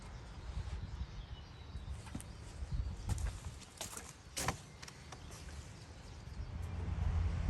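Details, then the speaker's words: 1937 Chevy truck engine, sat about 45–50 years, cylinder cleaned out, bumped with starter: slow, uneven, labored churning with scrapes and surges building; seized engine breaking loose. "she's moving a little it sounds gnarly but she's"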